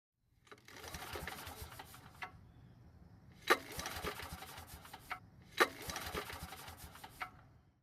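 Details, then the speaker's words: Long-sitting Powermate generator with oil level fine, tank fuel valve open, choke on, switch on: three recoil rope pulls, ratchety cranking whirr with no firing; won't start, old tank gasoline or carb suspected. "And unfortunately, it didn't do anything, which is not good."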